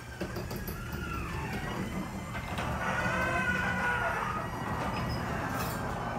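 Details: Up-close recording of a Genie garage door opener, squeakier and louder than the two earlier recordings because it was run earlier in the day: steady opener drone with high, sliding squeals rising and falling as the door travels. Dry, squeaking door hardware.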